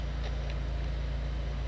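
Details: 2014 Fiat Palio restarted after a timing belt replacement and throttle body cleaning, warm at 97 °C coolant with the fan just on: low, steady idle with normal rpm, even and without misses or knocks.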